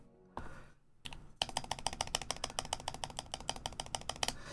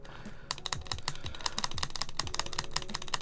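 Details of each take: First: Neo Ergo keyboard after adding lube to the stabilizers a little at a time: quick run of crisp, even keystrokes with clean bottom-outs and no ticking or rattle; the stabilized key now sounds healthy. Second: Neo Ergo keyboard being rebuilt with tuned, lubed stabilizers: fast, uneven tapping with sharp, bright clicks and a thin rattling tick on the long keys; the stabilizers still tick despite lubing, lube suspected not spreading well.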